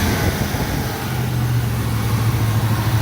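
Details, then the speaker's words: 1979 Trans Am V8, cold and on high idle after an exhaust manifold repair: a deep, steady burble with no ticking or puffing, so the manifold is now sealed with no exhaust leaks; normal cold high idle. "So, yeah, she's cold yet, but it sounds good. I don't hear any exhaust leaks."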